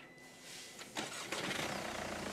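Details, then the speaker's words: Mercedes CLA 200 CDI, after repair of no-restart following auto stop (flywheel/transmission issue): quick clean crank catching at once into steady diesel idle; normal engine start. "Hidup dengan baik. Semua perbaikan sudah selesai, jadi sekarang mesin hidup normal."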